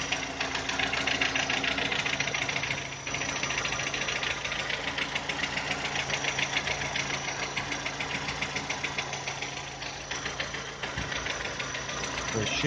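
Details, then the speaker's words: VW Touran 2010, 1.6 BSE engine rebuilt about 15,000 ago (oversize pistons, valves, hydraulic lifters), cold idle below 1000 rpm after two days parked: sharp fast ticking knock about three-four per second, seemingly from the left side, quieter as it warms; cause unknown. "как будто откуда-то с левой стороны стучит. По мере подевания он все тише и тише стучит."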